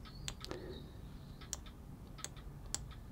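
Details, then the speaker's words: 2013 BMW E92 N43 exhaust camshaft VANOS solenoid removed and bench-tested at 12 V, either polarity: crisp single clicks, one per pulse, over a quiet room; solenoid switching normally. "Hopefully, you hear that working. And if I swap the leads, that's working there."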